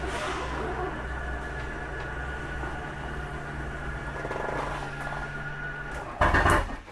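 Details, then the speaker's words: 2021 Jayco Jay Flight SLX 287BHS travel trailer, retracting slide-out: steady electric motor hum for several seconds, then short loud grind as slide bottoms out; normal end-of-travel noise. "again fear that noise you're fine"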